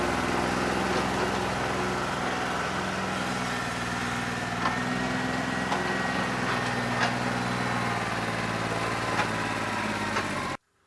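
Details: New Holland 1320 diesel tractor with a bad injector, running on about 2¼–2.5 cylinders and hot after 3 hours of loader work, not loosening up: steady clatter with uneven sharp knocks about three a second, then stalls abruptly.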